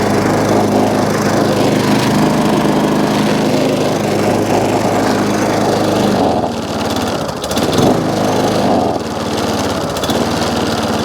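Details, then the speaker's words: Job-lot Tecumseh single-cylinder lawnmower, primed, with compression and a dead-man throttle: steady buzzing run at constant speed, dipping briefly under load and recovering, running fine, though a fuel leak is noted. "Happy with that. For the Tecumseh, I'm not going to complain."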